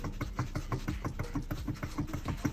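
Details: Tesla rolling during suspension diagnosis: sharp knocks about three times a second over a low rumble from the front suspension. Possibly the half-shaft support; cause suspected, not confirmed.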